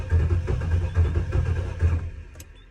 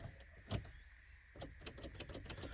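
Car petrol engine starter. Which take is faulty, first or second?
second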